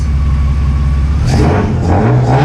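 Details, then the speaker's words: Widebody RHD BMW E36 with individual throttle bodies, no MAF, alpha-N retune: crisp even revving and clean throttle blips, no misfire; runs smoothly. "Sounds absolutely fantastic."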